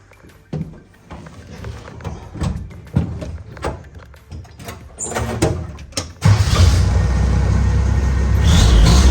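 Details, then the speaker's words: Vintage Willys Jeep CJ5 after replacing the old starter (stripped bendix gear) with an upgraded Toyota Land Cruiser starter: fast, smooth, even cranking with no dragging, engine catches cleanly and revs up; normal cranking and start, healthy new starter. "Shoot, yeah, that is so much better than the old starter ever was. Turns over so smooth and so quick."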